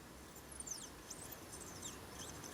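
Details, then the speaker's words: Seagate Barracuda 7200.12 slimline hard drive spinning down: quiet, faint scratchy chirps as the heads park by touching the disc surface rather than a ramp. This is normal operation for these drives, though such parking wears the heads and can cause stiction. "That's just a normal operation of these drives, and they park the heads like that. They're actually hitting the disc."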